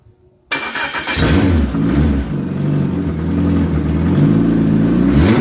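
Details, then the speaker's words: Ex-race Neon four-cylinder on a test stand restarted after a compression test (180/180/175/180 psi) to clean out: brief cranking, clean catch, smooth even idle with no knocks or misses; great oil pressure, healthy. "I'll fire it back up for a second just to make sure it it it gets cleaned up because of all that uh cranking we did"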